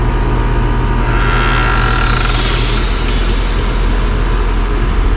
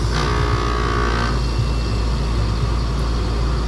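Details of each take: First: Downstairs Trane heat pump, head pressure 437 psi in cool, suction 66 psi, flooding back, evap leaking: a heavy compressor drone with a loud hissing surge on switching to heat. The reversing valve does not appear to be shifting fully; abnormal changeover. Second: 20-year-old R22 12 SEER Trane heat pump on a home-warranty call: a short whoosh as the reversing valve shifts, then a steady compressor hum. Normal reversing valve shift, heard for comparison with the faulty system.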